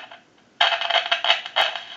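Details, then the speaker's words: Grand desk telephone whose owner reported constant noise, heard through an amplified pickup on the handset after dialing to remove the dial tone. Irregular sharp crackles and pops over a quiet line: very noisy line, cause not yet found. "we want to dial it to take dial tone away and it is very noisy"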